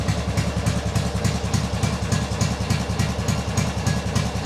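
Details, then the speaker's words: Engine that now runs and drives, idling: a steady, even, loud and blatty low putter of about 3.5 pulses a second; the engine itself seems fine and the noise is suspected to come from the exhaust. "The engine sounds like it's running just fine. It is just the exhaust that sounds like that, I think."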